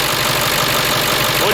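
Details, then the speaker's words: 1995 Ford F-series 7.3L Powerstroke diesel, crank-no-start after sitting two months: after fixing the injector driver module, the engine starts and idles with even, steady clatter, no misses or knocks. "so right there i hope you guys can hear that the truck is definitely running so right there guys the truck is running"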